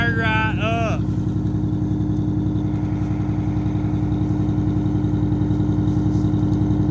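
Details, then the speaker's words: 1989 Grand Villa with two-stroke Detroit diesel, just fired right up: brisk even diesel pulse about 160 beats a minute, steady drone, no misses or knocks; normal running. "that sounds good that is just so cool Max listen to that sucker"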